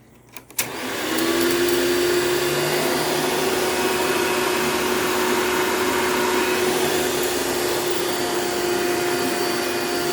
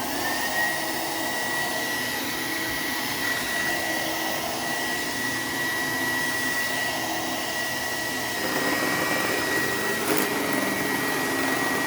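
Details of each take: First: $9 vacuum running with its existing paper Bissell Style 7 bag fitted: motor spins up in about a second to a smooth, steady whine, no flutter or rattle; runs well; it leans back, possibly from broken motor clamps. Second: Donated vacuum running: loud motor roar with thin high whine and uneven flutter; the brush roller sounds rough and bad, possibly rusty, owner suspects this is why it was donated; cause unconfirmed.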